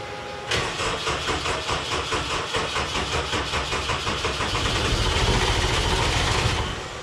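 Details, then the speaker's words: Homemade race car "Scrap Metal" with a 20-year-old engine, recently tuned; won't start since fuel pump replacement. Long steady cranking with regular compression pulses about six seconds, never properly catches. Owner wonders about starter or setup, later suspects the tune. "yeah i wonder if it's a starter issue something in the setup"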